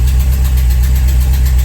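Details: VW Vanagon after a new fuel pump was fitted and its wires swapped to correct polarity: a deep, smooth, steady idle with an even low beat and no missing or hesitation; the engine idles normally.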